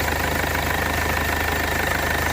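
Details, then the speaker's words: 2015 Mercedes CLA 220d diesel after the injector repair: a steady, even idle with light clatter and a constant hum, no misses, and the injector returns are not leaking, so it runs smoothly. "no everything is everything looks pretty good and look at that running really really smooth"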